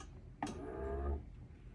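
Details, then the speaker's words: Samsung refrigerator all-around cooling fan removed and spun by hand: short low droning hum sagging as it spins down; owner suspects bearing or shaft, replaced with whole fan assembly. "Now, a lot of times these fans will start making a weird humming noise. You can kind of hear it. It sounds like that."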